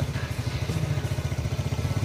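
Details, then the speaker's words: Jupiter motorcycle single-cylinder engine started right after an oil change, owner unsure which oil was due: quick regular clatter at idle, about fourteen beats a second, sounding diesel-like; rough, neglected engine, cause unclear. "suaranya seperti diesel ya"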